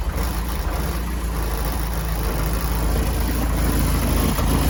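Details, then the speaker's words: C20XE-engined Mini idling after startup, fuel pressure 3.5–4 bar: a wandering, unsteady idle that rises and sags. Owner guesses a 3.5 bar regulator and wonders whether the pump is lazy; the cause of the erratic idle is unconfirmed. "A little bit erratic. 3.5 to 4 bar. I'm guessing that's a 3.5 regulator."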